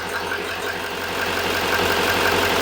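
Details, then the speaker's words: 2015 GM 2500HD 6.6 Duramax diesel after cleaning the positive battery cable eyelet, the cause of lost power: steady, even idle with the usual light clatter and no misses; healthy. "So, there it is running again. All I did was clean that positive cable eyelet."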